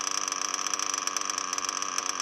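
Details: O.S. Speed B21 Adam Drake nitro engine in RC truggy, new J&T ceramic bearings, 6.5 mm venturi, J21 carb; fast even buzzing idle with steady high pitch, no stumbling, after idle screw turned up from too low.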